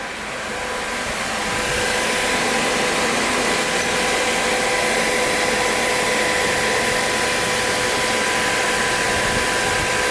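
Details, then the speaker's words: Cooling fan on Kawasaki KZ 650cc shifter kart motor: steady even whoosh with faint constant hum, no rattle or scraping; good cold airflow. "oh yeah we're getting some good airflow I can feel it all the way out to here it's like really cold air"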